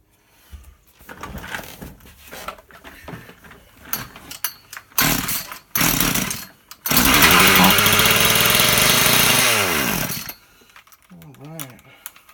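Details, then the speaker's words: Husqvarna 36 chainsaw, not yet fully warmed up, low-speed screw turned out to three turns: fires and runs about three seconds at a fast, buzzy idle with rpm swinging, then dies; idle running too high. "okay guys so what I just did was I turned the low screw out to three and it actually did fire up and stay running it was running fast but I could let go of the throttle and he would stay running pretty fast so we'll be making progress"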